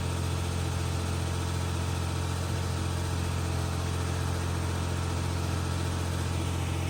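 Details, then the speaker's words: Jeep Cherokee idling after hidden shorting wiring was repaired (computer tested good); steady, even low idle with smooth firing, no stumble, the earlier bad misfire from a malfunctioning fuel injector gone, some residual white smoke burning off. "It's idling right now. Yeah. Doesn't have that crazy misfire."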